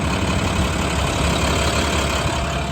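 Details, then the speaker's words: 2012 International PB105 short school bus diesel idling; steady even clatter, no misses, knocks or hunting; idle was slightly choppy after a 30-mile drive then smoothed, may need fuel filters — sounds healthy. "Like I said, the engine does sound healthy."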